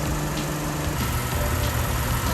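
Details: Lexus idling right after a DIY oil and filter change, oil topped up and no leaks found. Smooth, even idle with steady low hum, no misses, knocks or ticks; engine healthy.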